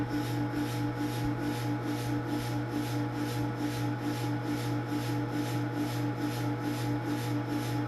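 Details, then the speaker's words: Omega 4500 PSI airgun-fill compressor with water cooling running and no hose fitted, so bursts of air vent from the top, louder than the fan and compressor: steady low hum with an even pulse about twice a second, faint hiss; running normally. "the air coming out is louder than the fan and the compressor running so that's your Omega"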